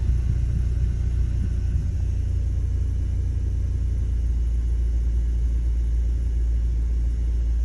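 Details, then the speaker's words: 2010 Ford Escape 2.5L idling in gear right after front engine mount replacement: steady, even low rumble with no knocks or shudders. Whole-vehicle vibration is noticeably reduced. "I will say there's a, so far definitely a noticeable difference in the vibration of the whole vehicle. Doesn't seem to be vibrating like it"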